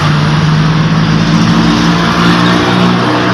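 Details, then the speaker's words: Hyundai Accent EPS motor after repair, bench-run with the mic held close: a steady, even low hum at constant pitch with no grinding or rattle. The repaired motor runs quietly and normally. "Yan guys, kitang-kita naman at rinig na rinig naman, walang ingay yung motor. Mas maingay pa guys yung bunganga ko."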